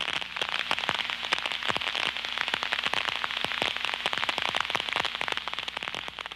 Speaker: when the liquid is sucked through the leak site it will form bubbles that collapse creating ultrasound detectable with the contact probe